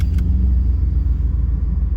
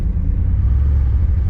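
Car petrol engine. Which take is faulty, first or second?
second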